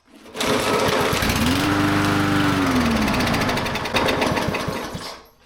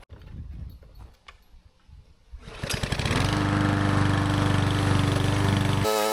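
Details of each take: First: Dirty, long-unused small engine with a blade (likely mower), two shots of quick start then a pull: fires, revs unevenly and sputters a few seconds then dies; blew out lots of dirt. Suspected needs carb clean or fresh gas. Rough running. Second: Small-engine mower after carburetor cleaning, fresh oil: engine catches after a couple of seconds, then settles into a steady, even run with a constant tone; runs properly.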